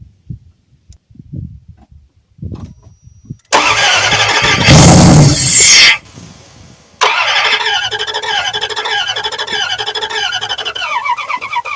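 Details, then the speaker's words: Junked Dodge Dakota V8 with dead fuel pump, fuel fed by hand into intake while another person cranks: starter cranks, engine briefly catches, then runs rough and uneven only while hand-fed and won't stay running. "We got the fire and um can't drive it because it's not going to stay running long enough."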